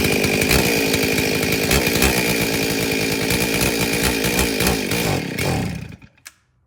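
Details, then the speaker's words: Stihl 034 chainsaw with broken, half-gone fuel line, primed by squirting mixed fuel down the carburetor throat: fires and revs hard about five seconds, then sputters and dies as the primed fuel runs out, fuel starvation. "So obviously I can't suck fuel out of the fuel tank. The fuel line is broken and half gone."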